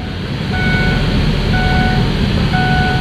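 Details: Engine idling after starting on a battery that showed low voltage: even, steady low rumble with no misses under regular reversing beeps; idling smoothly and healthy.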